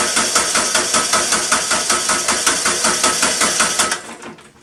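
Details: Kubota B3030 diesel tractor with a fuel supply problem, being bled: fuel solenoid clicks, then the starter cranks in even compression chugs about 158 a minute with no firing before winding down.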